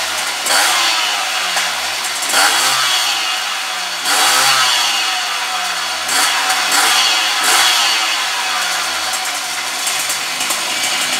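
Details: Puch Maxi E50 moped two-stroke with Polini kit and ignition, just rebuilt (cylinder sanded, oil on piston) and first started during break-in: crisp buzz climbs cleanly with each throttle blip and drops back to idle; revs freely, runs healthy.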